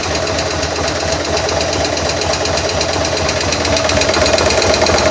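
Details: 2000 Buell M2 Cyclone V-twin, loud rapid top-end tick/knock following engine speed, heard after stator replacement and shifter adjustment; oil slightly low; owner suspects a sticky or stuck lifter, unconfirmed.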